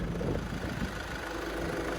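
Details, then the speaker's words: 2010 Volkswagen Touran 1.6 TDI diesel, 6-speed manual, 157,000 km: quiet, steady idle with soft even clatter, no misses or knocks; runs evenly, slight vapor from exhaust said normal for the 1.6. "Моторчик работает ровно хорошо. Как всегда, 1.6 дает немножко дым."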